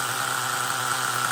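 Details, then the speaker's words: LRP 32x Spec 4.1 nitro engine late in its second idle-tank break-in, carb kept insulated from engine-block heat: steady, even high-pitched idle with no hunting or surging. It is not over-revving or going rich as it warms, so the carburetor is holding up. "and it has been idling like this for the the whole second time steady so at least on idle the carburetor seems to be holding up"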